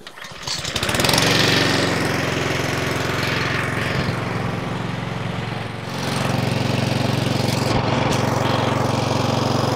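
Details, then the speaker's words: Three-week-old Honda Izy mower, GCV145X engine, used twice: starts, then engine speed swells and sags in slow waves, hunting; carburettor service planned as fix. "it may take a few seconds for it to uh kick in and start the hunting but let's have a little listen to it"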